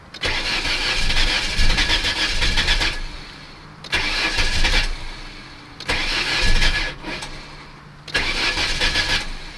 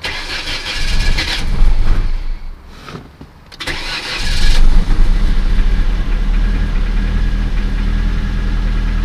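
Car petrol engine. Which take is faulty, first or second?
first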